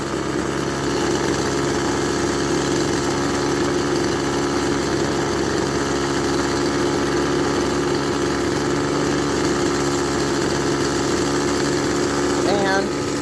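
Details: Echo SRM-200BE string trimmer, freshly cleaned carburetor, warmed up after a few minutes of running: steady, high buzzing two-stroke idle with no stumbles or dropouts, running a bit fast; idle speed likely needs adjusting.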